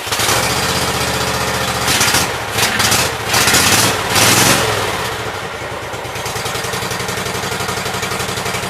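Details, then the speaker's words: Cub Cadet Super Cub with Kohler Command twin after fitting a new right-hand ignition coil and setting its gap: steady, even chugging with no misfire, running on both cylinders; normal running. "seems like it's running good."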